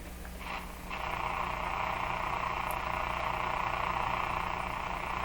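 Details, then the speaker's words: Canadian General Electric C701 console radio receiver on the bench, volume advanced and tuned toward 590: a steady raspy hiss with a low buzz and crackle, probably interference picked up by the antenna from the house rather than a radio fault. "now that's a typical interference noise i hear all the time in my shop getting close to 590."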